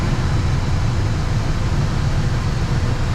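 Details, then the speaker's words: VW Gol G8 A/C blower fan after removing it and washing out dirt that had unbalanced it, on high speed: even, steady airy rumble with no wobble, rattle or vibration; blower running smooth and balanced. "pode ver que não tá fazendo mais aquele barulho que fazia e nem tá vibrando igual tava vibrando"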